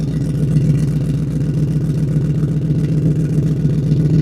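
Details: Old pickup truck with no mufflers, recorded at the exhaust tip, started and revved: deep, loud, throbbing unmuffled rumble with a coarse rasp; loud at higher rpm and droning at cruising speed, longest possible resonators to be fitted.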